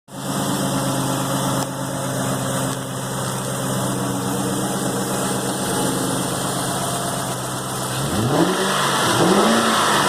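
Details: 2001 Cobra 4.6 4V V8, 78,600 miles, idling then brief rev: uneven tapping in the engine note; knock heard under light load, hard to pin down.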